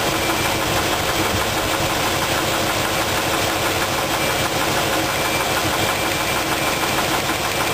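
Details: Idling engine with the valve covers off: a steady, rapid knock through loud valvetrain clatter while plug wires and valves are tested cylinder by cylinder. The cause was later found to be a bad rod bearing, cylinder two on the passenger side.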